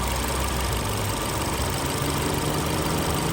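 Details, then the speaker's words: Vauxhall/Opel Insignia 1.6 SIDI A16XHT after replacing failed PCV valve that caused squealing and air sucking at camshaft seal, warm after about half an hour: steady low idle hum, no hiss or sucking. "yeah all the car running far around half an hour now everything seems fine yeah still um still running smooth no sucking"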